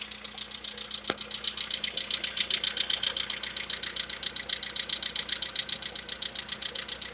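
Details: VW Polo Sedan, CFNA engine, knock; decarbonising tried as possible fix: sharp metallic knocking about two or three times a second over a steady idle, crisp and regular; engine knock at idle, cause not confirmed.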